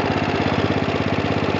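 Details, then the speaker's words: 1966 John Deere 110 lawn tractor, 8 hp Kohler single-cylinder, recently revived after sitting several years; even idle thump with light quick valve ticking on top, owner calls it minor. "And you can hear the valves ticking a little bit, but you know, little mess, ain't no big deal."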